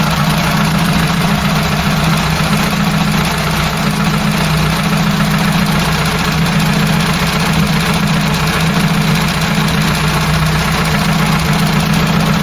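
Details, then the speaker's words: Ford Cortina GXL four-cylinder after rebuild, points gap reset and warm; smooth, even tick-over with steady low drone, no misses or knocks; water pump circulating and temperature holding; normal idle. "i've done the gapping i've gapped up the point so it's ticking over a bit nice"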